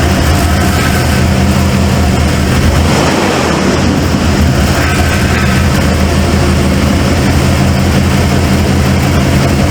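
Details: Cold start of a 1995 Ford F-150 barn find: a loud, lumpy idle with a stumble breaking the rhythm. The owner suspects a plug wire or firing order.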